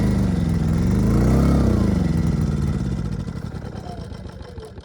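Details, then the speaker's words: Ryobi RYI2300 inverter generator, 15 months old, replacement carb still running lean: runs hard then beat slows and fades, stalling under heavy load after about a minute; fuel starvation, owner suspects clogged fuel filter or tank vent. "all right so we just stalled under a heavy load after about running for a minute"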